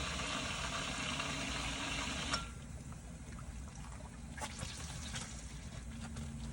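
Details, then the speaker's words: Hygger pond pump being reprimed with bog filter bypassed and irrigation intake feeding, after about five bleed cycles: gurgling bubbles fade to quieter flow with occasional pops; air in line, nearly primed. "much less bubbles. That's a good sign."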